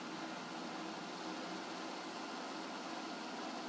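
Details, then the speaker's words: Ballscrew driven by hand with a power drill gives a steady, even whir with no grinding or catching, unlike when driven by the servo/stepper motors; owner suspects misalignment caused the earlier grinding; smooth ballscrew running. "it's not making those weird grinding noises that the motor was servos steppers were making"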